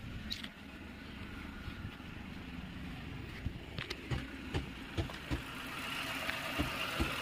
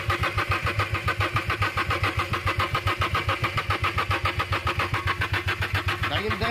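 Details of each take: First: Renault Kwid after repair: it had stalled while driving and cranked without starting because oil on the spark plug tops shorted the plug coil. Now a soft, steady idle with no stumble or misfire, only a few light clicks. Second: Renault Kwid that stalled while running and now cranks but won't start: even starter churning at roughly two and a half pulses a second with no firing; oil on the spark plug tops is shorting the spark.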